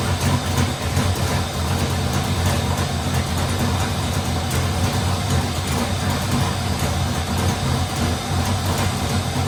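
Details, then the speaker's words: Freshly installed LS3 V8, second run building oil pressure to check line fittings: loud, deep, choppy idle lope, steady and even with no misses; normal idle. "And then the second time I was building up some oil pressure to make sure I had all the lines fitting."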